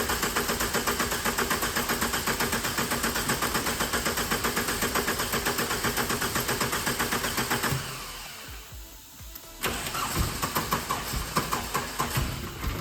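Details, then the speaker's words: 65k-mile VW Corrado G60, fuel return blocked off and a machine hooked up for the first start attempt: starter churns about two beats a second for eight seconds, pauses, cranks again, never catches; extended cranking, no start yet. "It's nearly there, come on. Oh God, it's getting closer. Oh, come on."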